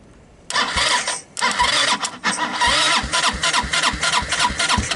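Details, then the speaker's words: Hammerhead Twister 250 go-kart engine, starter solenoid jumped, starting fluid used, carburetor suspect (water in oil found): repeated cranking with brief sputtering catches that die immediately; fires but won't run. "you guys hear that right it is trying to start I love it"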